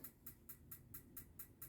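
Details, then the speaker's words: 2013 Autotrail Apache 700 motorhome gas heater: sharp even igniter clicks about four per second over a low fan hum until the burner lights with a whoof, normal. "probably just hear that clicking then it's ignited you'll actually hear it wof and it and then you know that it's uh ignited"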